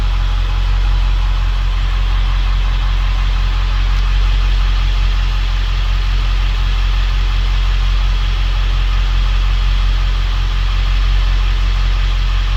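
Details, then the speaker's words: Ford 7.3L Powerstroke diesel 1-ton dump truck after valve cover gasket repair fixed the problem: steady even diesel clatter at warm idle, no stumble or miss, all cylinders pulling evenly; sounds much better, smoked briefly at first. "But truck sounds a lot better."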